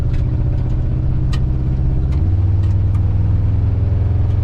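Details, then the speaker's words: 1985 Chevrolet C30 crew cab dually with swapped 6.0 LS-based V8, after a new cheap fuel pressure regulator: deep idle with uneven stumbling beat, one cylinder seemingly dropping out; cylinder not yet identified, scan tool planned. "It ain't hitting on all 7. Maybe we can hook up the scan tool and it'll tell us which cylinder it is. Pull the valve cover off or something. Don't sound like it used to."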